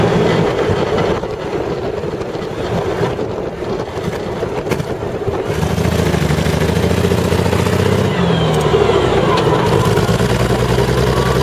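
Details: CVR(T) Striker FV102 Swingfire tank engine misfiring badly at idle in Aug 2010, uneven stumbling loping beat; cause was a stuck valve, later fixed by fitting a new spare engine.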